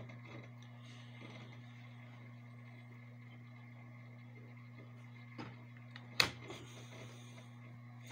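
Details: Desktop PC booting normally after fixing a red-light-blinking, beeping, fast-fan no-boot fault: quiet, steady low fan hum with one brief click; PC boots and runs normally.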